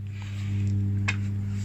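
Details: Defender SPK 2.1 speaker system being repaired: the two satellite channels work, but the subwoofer only gives a steady low mains-type hum with no audio output; cause still unknown.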